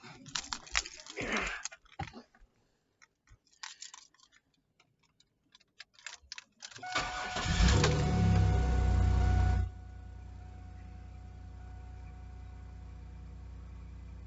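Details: Chevrolet Camaro after fuel pump replacement, under a quarter tank: keys rattle, short crank, engine catches straight away and settles into a steady, even idle; starts cleanly, fuel gauge no longer bobbing.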